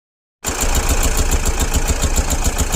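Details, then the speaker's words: Mahindra Bolero Pickup BS6 diesel idling with a sudden loud engine noise: fast, even tapping over the diesel clatter, keeping time with engine speed; damaged hydraulic tappet (lash adjuster). "इसके tappet hydro है वो अंदर से damage हो जाता है उसी के कारण क्या है आवाज आ रही है"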